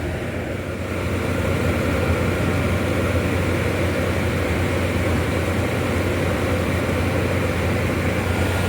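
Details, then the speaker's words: Old Whirlpool 25,000 BTU window air conditioner with factory Bristol reciprocating compressor and R22, first startup: steady low compressor drone, even fan rush and lots of hissing, no knocks or rattles; running and cooling normally. "Lots of hissing. But yeah, that thing runs good."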